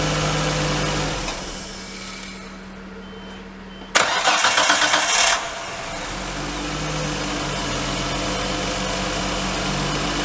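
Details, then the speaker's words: R32 Skyline RB25DE engine on new NP Boosted/Napol ignition coils and harness, warmed up, shut off and restarted to check for the earlier misfire: quick crank catches and settles into a smooth, even idle with no stumble; normal start and idle. "Well, seems fine, so just going to clean up, call it a night, and then fire it up tomorrow and drive it and see what happens."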